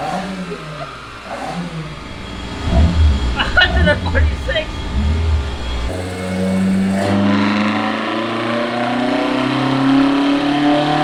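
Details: Toyota AE86 with Blacktop 4AG 20V engine on a dyno, new Haltech Elite 550 ECU, full-throttle run: pulls hard and clean, pitch climbing smoothly with no stumble or flat spot; healthy run.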